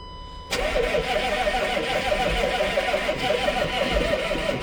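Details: 1995 Chevy 3500 dump truck, 6.5L Detroit diesel, cold start after sitting all winter. The starter cranks steadily for about four seconds and never fires; the owner then reaches for jumper cables for the batteries.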